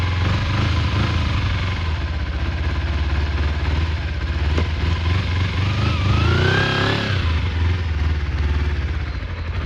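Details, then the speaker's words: Kawasaki Eliminator EL 250 restoration, first start of the day on reserve, choke off, pulling away: even twin-cylinder burble, clean rise in revs then settling back, no knocks or rattles; running sweetly. "Seems absolutely sweet. Pretty much ready for MOT, but just need to check the brake switches, yeah."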